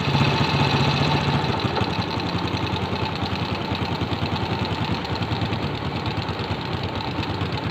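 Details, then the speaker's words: Old Suzuki Shogun motorcycle, small single-cylinder engine, idling after carburetor air screw set to middle: low, steady, even firing beat, idle lower but no stalling; normal idle, carb healthy though somewhat dirty and never cleaned. "jelas lebih enak lagi ya jadi sih belancan atau putaran bawah rata-ratanya itu dapat semakin lebih rendah tapi tidak mati gitu"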